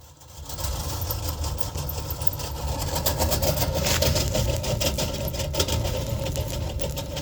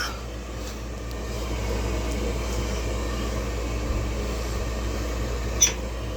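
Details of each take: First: York gas furnace, apparently original OEM blower motor: blower starts into a loud rumbling roar with fast uneven thumping, about three or four a second; the heat still worked but it got so loud the owner shut it off; the squirrel-cage blower wheel is broken. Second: York gas furnace after replacing the blower motor and filter following a loud-noise complaint: smooth, low steady hum of moving air with no rattle or scraping, the new blower running quietly and healthily.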